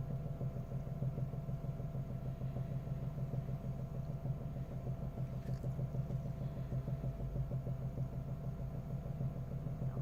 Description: Утром запускаю двигатель и слышен не понятный стук, когда прогревается ДВС то он пропадает.